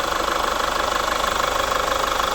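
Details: Chevrolet Captiva FL diesel with weak pull, turbo growl, smoke and hard cold starts, before repair: hard, rapid metallic clatter at idle, about nineteen even knocks a second over a thin low end; injector knock, injectors and turbo faulted.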